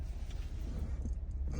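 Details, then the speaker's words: 2008 Jeep Wrangler 3.8 L V6 (listed elsewhere as 2012) idles steadily and evenly after its split, open crank sensor connector at the transmission was repaired. It had a long crank and misfires before; now it runs with no codes and no misfires. "see if it works it runs no codes no"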